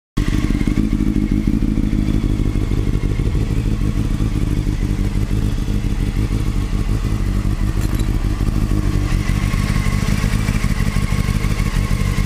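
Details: Motorcycle at idle: an uneven clatter and thumps running throughout, a mechanical rattle; owner suspects the cam chain tensioner (CCT), unconfirmed.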